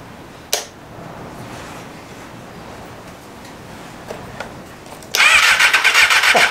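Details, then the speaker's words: 1988 Kawasaki ZXR250 four-cylinder 250 road bike, project start, cranked on bigger jumper leads: starter spins the engine at a steady fast beat but it never fires; crank no start, owner suspects no spark, connections not yet checked. "Not seeing much. I don't think we're getting any spark."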